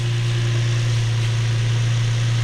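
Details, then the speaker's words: Infiniti G35, just out of limp mode, with leaking original valve covers and an oil-soaked rear plug: smooth, even low hum at steady idle with no hunting or surging; no check engine light, healthy idle. "she is purring purring like a kitten check engine light"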